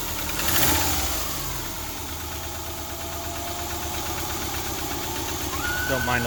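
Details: 2000 Subaru Outback, almost 200,000 miles, head gaskets replaced a year ago and suspected blown again; light fast ticking of about three per second over an uneven idle, valve lifter tap, before adding engine restore and other additives.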